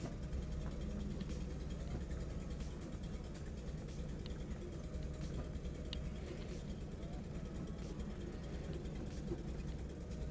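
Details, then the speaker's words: Warmed-up Datsun 280ZX, lowered, losing power accelerating uphill; low heavy drone that never rises in pitch, engine struggling and bogging under load trying to climb a hill, cause unclear. "all right so far not so good right now it's just struggling just to get up the"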